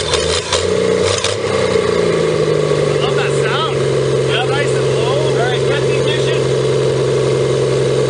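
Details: 1954 Pontiac 239 straight six revived after sitting for years, just restarted: low, steady, unhurried idle hum with an even pulse, no misses or knocks; healthy and warming up quickly.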